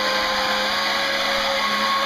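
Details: RC jet boat on a 3S battery: after rusty motor bearings from water ingress were oiled, the boat ran slower. Steady high motor whine with a rough, gritty hiss at constant speed, sounding awful: worn, rusty motor bearings.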